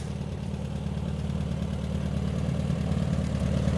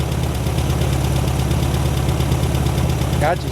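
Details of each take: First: 1972 VW Super Beetle, newly bought, first start: uneven, lumpy low idle loping about 3–4 times a second, with smoke; owner unsure and thinks it may be running rich, though it seems to run well. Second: 1972 VW Super Beetle, first run, still smoking, owner believes it is running on carburetor fuel with the gauge reading empty: even, low burbling air-cooled flat-four idle holding steady without stumbles or knocks; normal idle.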